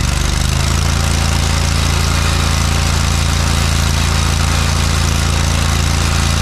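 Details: John Deere 317 lawn tractor revived after sitting many years, with new fuel line: steady, even low thrum at idle, no knocks or misses. Normal idle, though a fuel leak remains; owner suspects a cracked fuel pump.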